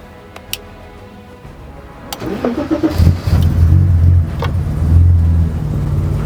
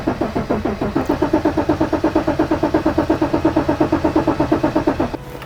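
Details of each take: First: 1984 BMW 5 Series E28 with M30 engine, sat unused 5–6 years, after fuel and spark fixes: starter cranks briefly, catches after about three seconds, settles into steady even idle; normal first start. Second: 1984 BMW E28 5 Series with a 3.5L M30 straight six and manual swap, sitting over 5 years, cranked on a jump pack: steady starter whir with even compression pulses, never catching. The tank is completely empty of fuel.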